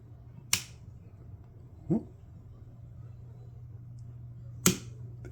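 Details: Failing household wall dimmer switch, before replacement: sharp irregular clicks and snaps over a low steady hum as the dimmer is lowered and raised, as if arcing; dimmer switch clicking.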